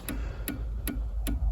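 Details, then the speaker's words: 1999 Honda Odyssey with HVAC control module lights blinking and blend doors not moving: sharp even relay clicks about every 0.4 s over a low hum, felt in the fuse box, apparently the rear defroster relay cycling; cause not confirmed. "all right so that clicking sound is coming from this fuse box down here I can feel it clicking so there must be a relay inside of this somehow"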